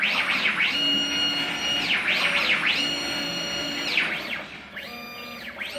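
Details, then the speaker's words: CNC plasma table with ClearPath servo motors on new mounts, trial program run with the plasma off after zeroing X and Z: smooth motor whine gliding up and down as the axes speed up and stop; healthy gantry run. "Z to 0, and just run this program. So, as you can see, just running."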